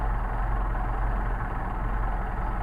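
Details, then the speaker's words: Solex carburetors on a test stand engine, still cold, idle deliberately set exceptionally low, checked with electronic tachometer: very slow even idle around 500 rpm, deep steady pulses, no stumbling or misfire. "we got a really nice low idle, and that's exceptionally low. I did that on purpose so I can show you about adjusting your idle speed."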